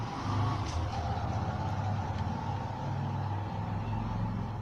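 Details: Bajaj Pulsar 135LS after clutch housing work for wobble and loud whining in gear: smooth, low, steady engine hum, no whine rising over it; clutch side quiet, a faint sound remains.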